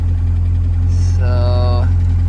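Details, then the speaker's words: Roush Thunderbird first started after sitting for years, oil pressure present: deep steady idle hum with a bright whine rising over it; owner thinks the alternator is making a lot of noise, unsure it charges; suspected alternator noise. "looks like the alternator i don't know it's making a lot of noise i don't know it's charging though"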